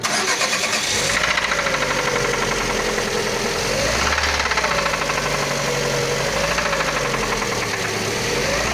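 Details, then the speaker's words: Lada Largus with 21129 engine at 4,200 km: a steady, rapid, loud internal knock over the idle after start-up, source not yet found. Oil pressure is about 1 atm at idle and jumps to about 3 atm when revved. Engine knock. "такой вот Ларгус приехал. Пробег 4200. Такие вот нехорошие звуки."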